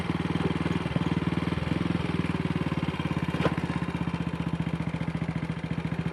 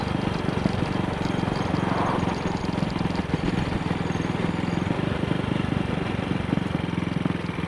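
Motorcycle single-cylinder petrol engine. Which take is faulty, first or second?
first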